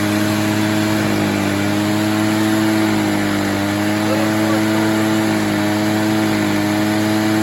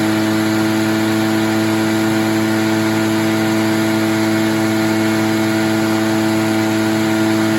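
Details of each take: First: Echo PB403T backpack blower, about 25 years old, after new air filter for no-start; steady high-speed two-stroke drone with slightly uneven burbling edge, four-stroking from a rich mixture, fuel then leaned slightly. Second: Echo PB403T backpack blower, about 25 years old, fixed from a no-start with a new air filter, choke off, mixture leaned after four-stroking: steady high two-stroke drone, clean and even with no missing, then shuts down; normal running.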